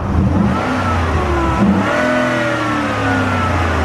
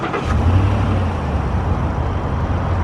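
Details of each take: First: 2014 Ford SVT Raptor, about 159,000 miles, revving under hood after replacing idler pulleys and power steering pump: thin whine rising and falling with revs over exhaust; owner suspects the airbox, unconfirmed. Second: 2014 Ford SVT Raptor, about 159,000 miles, after replacing both idler pulleys and power steering pump: deep steady idle right after start-up, no whine or chirp from belt pulleys; sounds good.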